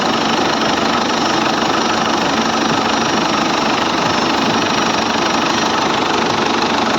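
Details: Ford Everest diesel with morning hard starting, after its four injectors were tested (opening pressure 170–180) and reinstalled: now starts at first crank, with steady, even clatter and no misses or hunting; normal idle.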